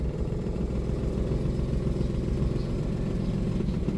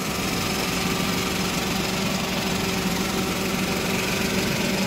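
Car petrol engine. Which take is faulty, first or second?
first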